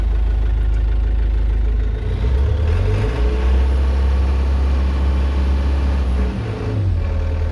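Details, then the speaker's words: Link-Belt 2700 Quantum excavator diesel, stalling fixed by disconnecting the fuel shutoff cable: steady, even idle with a faint turbo whistle on top, no misses, knocks or smoke. Normal idle. "Hear the turbo. So that's working. Not blowing any smoke, that's good."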